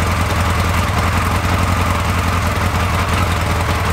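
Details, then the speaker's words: Carbureted engine at uneven idle after richening the mixture screw to 2.5 turns (was 1–1.5): lumpy, loping beat with dull "cloc cloc" clacking, cylinder dropping out; plug and ignition seem fine, lean mixture and clogged idle circuits suspected. "Un truc qui tourne pas rond quand même. Hein. C'est cloc cloc quand on entend. Hein. Ça fait un bruit affreux dans la chaîne."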